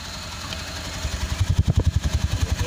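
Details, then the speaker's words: 2017 Nissan X-Trail T32 non-hybrid, plugs and coils already replaced, check engine light on: idle starts soft then turns into heavy, uneven low thumps that lope and shake, a rough idle misfire; cause not yet confirmed. "the initially is getting a high start check engine light is on I feel like it's a heavy heavy like rough idle Miss"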